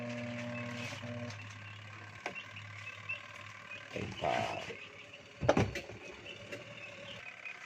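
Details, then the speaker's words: Union Labamatic 8.0 kg single-tub washing machine, bench-checked before gearbox repair: steady low electrical hum with no turning, wash motor stalled. "may problema katropa umuugong ayan nga Ang sinasabi ko t natin sa baba d ganon umuugong na lang"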